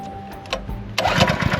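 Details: Small pull-start engine on an old gold-mine wash plant: a short pull, then it catches and settles into a fast, even popping beat. Clean start.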